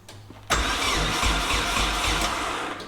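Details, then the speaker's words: KA24DET-swapped Datsun 510 wagon on MicroSquirt ECU, cranking with no fuel: the starter turns the engine briskly and evenly at nearly four beats a second without firing. It cranks much easier than on the previous attempt, with no oil pressure yet. Normal cranking. "okay right away you can tell that crank a lot easier yes it's cranking much better"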